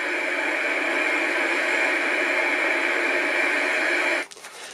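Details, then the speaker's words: 1964 IBM 214 Executary dictation machine on power supply, listen position, mic button pressed: loud steady white noise that never changes with volume control, then click off; fault in the amplifier. "and all you get is white noise and that white noise doesn't change even if you move the volume parts"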